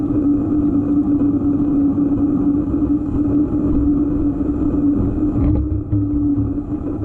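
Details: EVO GP PRO: constant mid-pitched hum riding steadily over the running noise without changing; source of the humming noise not identified.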